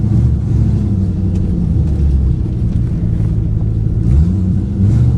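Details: 2008 Ford Mustang GT driving before coil replacement, dealer reported 5 bad ignition coils: deep rumbling V8 with an uneven, lumpy pulse that stumbles now and then under way; coil misfire.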